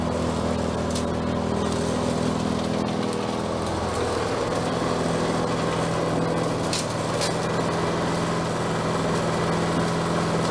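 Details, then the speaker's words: Bolens 22-inch self-propelled mower, small single-cylinder engine revived: starts and settles into a smooth, even run with steady drone and no knocks; self-propel working, normal running. "think it sounds good what do you think I think I needs need to run it a little bit more"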